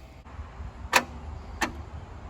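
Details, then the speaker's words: Abandoned 1977 Chevy Camaro whose engine had been nearly locked up, with lubed cylinder walls and battery reconnected: two sharp single clicks with no cranking. Owners suspect the starter is shot, not confirmed. "I think that starter's just shot. Yeah. Hit it again. Hit it a time or two again. Yeah, I think that starter, it's shot."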